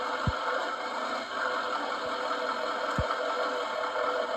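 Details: 2019 GMC Sierra 3500 HD Denali diesel, driver's side front: four dull, deep thuds one to two seconds apart over the idle each time it moves; front suspension clunk, owner suspects lower control arm bushings, unconfirmed.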